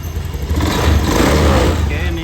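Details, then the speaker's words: Honda Scoopy FI scooter after DIY home service and ECU reset, previously stuttering badly: engine picks up cleanly on a throttle blip and settles back with no stumble or misfire; revs normally, stutter gone. "normal, Guys. Jadi, kita berhasil, ya, Teman-teman. Jadi ini tidak berebet lagi, Teman-teman."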